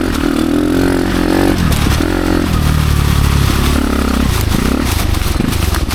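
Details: Dirt bike ridden on a trail in first/second gear after gearing changes, with idle lower than before: engine struggles with a low uneven drone, bogging near stall most of the ride under load because the rear wheel was binding on the brake caliper or axle.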